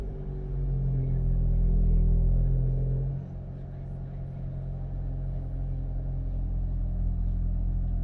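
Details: SEAT Cupra started after rear brake pad and disc replacement: engine fires, revs briefly to a low rumble, then drops to a smooth, steady idle with no knocks or rattles; normal start and idle.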